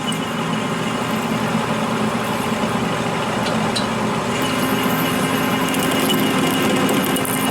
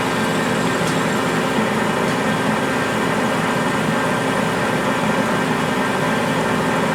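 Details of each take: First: Copper parting test with an Accusize parting tool kit at 180 rpm; gummy, sticky copper; steady lathe hum with faint uneven ticking as the parting tool chatters; stopping and adding more lube fixes it. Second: Accusize QTR 22 parting tool on a lathe, parting 303 stainless at 180 rpm under power feed without lube and with long stick-out: a steady, even cutting hiss over the spindle whir with no chatter or squeal; a clean, normal parting cut.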